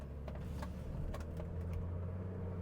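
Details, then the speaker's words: Kia Sedona test drive over rough, bumpy pavement after replacing a broken rear coil spring that had rattled over bumps; a low road rumble with only faint taps and no creaks, rattles or clanks. "nice and smooth. No creeks, no rattles. No loud clanks."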